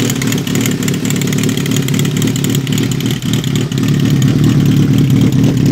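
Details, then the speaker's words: 2005 Kawasaki ZRX 1200R four-cylinder, first start after rebuild with Yoshimura TMR-MJN flatslide carbs, warming up: busy, fairly steady idle with some mechanical clatter but no knock or miss; running normally. "just let it warm up for a second or two"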